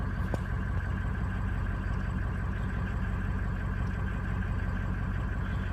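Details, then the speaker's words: Diesel engine idling during a VGT cycle test: steady idle with an unchanging turbo pitch while the vanes are commanded to cycle; the turbo is not responding, suspected stuck vanes. "trying to cycle it but it's not working I can tell it's not changing it's not changing the pitch out there at all he's probably running on straight engine no turbo"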